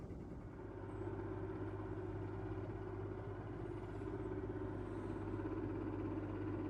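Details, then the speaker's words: Stadler Form Oskar humidifier after two weeks' use, at faster fan speed: steady low hum with higher droning tone; fan visibly wobbles, owner suspects an unbalanced fan and thinks the noise is not normal. "so we'll see if it really starts to bother me i will take it to the warrant because i think this noise is not normal"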